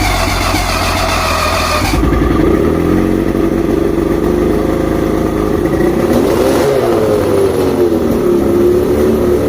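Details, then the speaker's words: Outboard after plugs checked, fuel pump and carbs rebuilt, trigger loosened, spark confirmed on all cylinders, no visible air leaks: uneven, lumpy idle with a thin chirp riding over it that never settles; rough idle, cause not yet found. "Okay, so now I've checked the plugs, rebuilt the fuel pump, rebuilt the carbs, got the trigger loose, you know, got it idling. I still have a chirp, which is driving me nuts."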